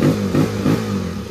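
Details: Rusi motorcycle, one month old, no-start traced to ECU (computer box) shorting to ground and cutting spark and fuel; touching ECU to ground kills it; off ground it catches, takes three quick throttle blips, then runs clean and steady.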